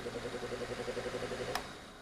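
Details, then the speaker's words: Lasko PN020350 floor fan, not maintained, in a 65.5° workshop: motor makes a rough, pulsing grind, then a click, and stops almost instantly whether upright or tilted. "as you can hear it's making a grinding sound and then it stops very quickly"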